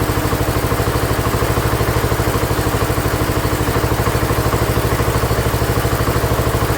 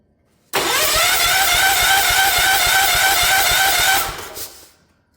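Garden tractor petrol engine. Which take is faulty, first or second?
second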